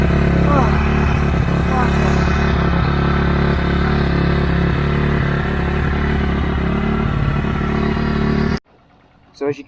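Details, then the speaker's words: Honda CRF dirt bike, engine warmed up after a cold start: deep, even thumping idle about four beats a second with no stumbles, fuel on reserve; a warm single idling happily. "as you can probably hear, the bike's idling happily. It's the engine is warm now, so this means I can take this thing for a shred."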